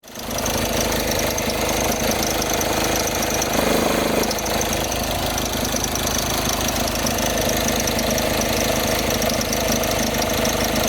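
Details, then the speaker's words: VW Jetta: loud, rough idle with a shaking engine, a rattly crackle and a thin squeal from the belt area; the alternator pulley was seized and would not turn either way. "Rady Cumartesian her önce gördüğünüz gibi motor çalıştığı esnada Jetta'nın kayış bölgesinden ses geliyordu."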